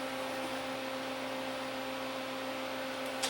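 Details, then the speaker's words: 1984 Sony CDP-40 CD player, long unused, on first eject press: steady motor hum with no tray movement; tray fails to eject, belt probably shot. "interesting because it said okay it's not objecting the death so the belt is probably the belt is probably shocked"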